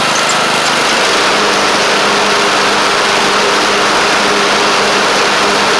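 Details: Craftsman LT1000 Briggs Intek single-cylinder engine idling smoothly and evenly with a steady beat and no misses, knocks or rattles; it runs good and shifts great. A double-stack pulley is suspected bent.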